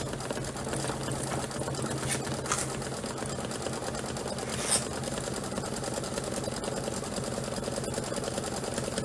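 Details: Embroidery machine stitching; even, quick rhythm of roughly a hundred-odd stitches a minute, no clacking or thumping; normal stitching.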